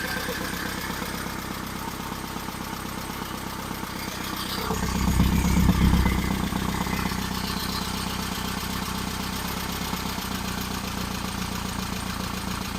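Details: Engine on third start-up attempt for cam break-in: idle a bit on the low side, no tachometer; even steady idle about four pulses a second with one throttle blip; oil pressure held; leaky oil cooler; running well.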